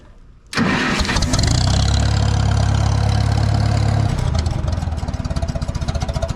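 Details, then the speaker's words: Farmall Super MTA tractor starting before raking and baling hay; fires straight away and settles into a smooth, even hum with no miss or rattle, healthy running engine. "to that hum. Man, that's a good sound."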